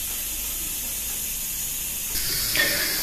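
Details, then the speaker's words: Winner WR-1803 pressure cooker making aspic, gas turned down to minimum after the boil, about 110–115°C inside: a soft, steady hiss from a thin jet of steam under the valve. Normal simmering. "Я убавил газ и теперь вот из-под клапана пробивается тонкий тонкая струйка пара И слышно слабое шипение вот сейчас нормальное кипение происходит"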